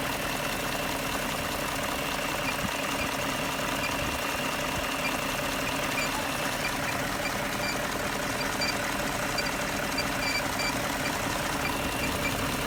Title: BMW E38 M62B44TU strange noises